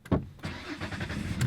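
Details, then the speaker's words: Nearly 15-year-old truck with 4-liter single overhead cam engine and 117,000 miles, started in neutral: short crank, fires at once and settles into smooth even idle; healthy normal start. "Starts right up. It's got 117,000 miles on it. And listen to that baby purr."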